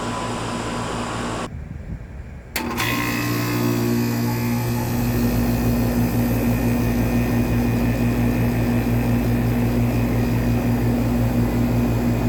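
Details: 1995 Tempstar 5000 air conditioner condenser, 30 years old, at its first startup of 2025 after sitting since about October: a short stumble, then the compressor and fan settle into a steady low hum at constant tone, running smooth and healthy.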